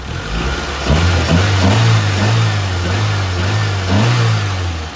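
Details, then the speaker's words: Mitsubishi Lancer 4G15 overhauled after overheating, freshly rebuilt so revved gently while piston rings seat: even idle with two light throttle blips rising and settling cleanly, no knocking or ticking; normal rev response. "Yan, suwabe na yung andar. Pero ang ganda ng response ng makina mga padi."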